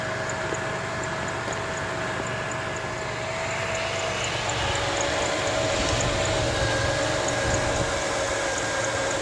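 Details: 2006 Jeep Liberty 3.7L V6 idling after the alternator was replaced and the belt refitted: even, quiet idle with a faint steady whine and no grinding or rattle. The accessory drive is healthy.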